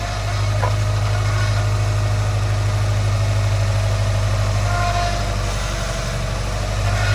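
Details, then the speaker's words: 2010 Subaru Legacy GT, engine running after a power steering fluid flush and refill (overfilled): heavy constant low hum with a faint higher whine, sounds bad; owner expects to replace the power steering pump, cause unconfirmed. "All right. As you can hear, sounds like crap. I'm definitely going to end up having to replace my power steering pump."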